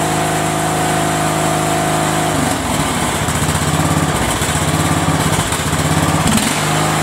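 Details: Single-cylinder Briggs and Stratton engine on a tractor, which had run wild and wide open, after repairing the throttle control where two small screws came out; now chugs at steady moderate speed, throttle holding normally.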